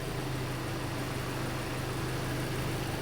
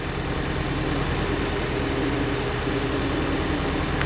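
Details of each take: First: Hyundai Elantra after reconnecting the unplugged cylinder 3 injector connector (code P0267 misfire). Even low idle hum with no stumbles; idle is now smooth, no trouble codes remain and the oxygen sensor reads normal. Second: Hyundai Elantra idling with code P0267 for the cylinder 3 injector and the oxygen sensor reading lean. Uneven idle with a lumpy, stumbling beat; misfire caused by the unplugged cylinder 3 injector connector.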